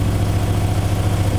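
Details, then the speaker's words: Alfa Romeo 156 TS Twin Spark after major engine rebuild to cure knocking, warming up at idle, no leaks; steady even low rumble with no knocks or ticks; normal idle. "Он ещё конечно поработает прогреется понаблюдаем слава Богу всё сухо ничего не капает ни антифриз ни масло ничего это радует"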